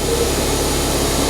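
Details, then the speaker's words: Non-running Ford Fiesta ST180 first start: engine idles massively high and even with no throttle applied, a steady raised hum, from an air leak at the broken inlet manifold. "if it runs it's idling massively High I'm not touching the throttle there that's because the inlet manifold broker a bit so engine malfunction"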